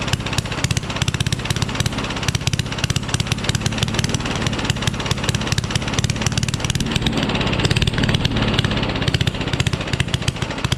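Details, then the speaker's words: Rally push mower, Tecumseh Eager 1 engine, no muffler found: loud, sharp open-pipe popping with uneven, stumbling firing; runs badly, only starts with starting fluid, needs work. "i can't find the muffler and it's super loud too but it runs but runs badly hey at least it runs right"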